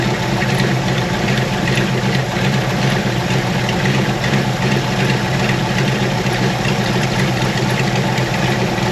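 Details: 413 hot rod coupe with magneto ignition and fuel pump, first start after sitting a couple of weeks before a tire-truing and upgrade build: big engine idles smooth and even, steady deep loping burble, no knocks or misses; healthy.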